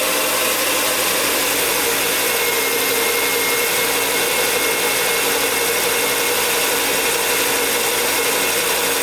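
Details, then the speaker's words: 2006 Volvo XC90 2.5T AWD at idle, before modification: hissy, chattering top-end noise over an even engine note. Owner suspects timing belt tensioner; belt reportedly replaced at 200,000 miles. Unconfirmed. "I think something's wrong with the timing belt tensioner with that sound reminds me of my Marquee Jetta and I had a bad time"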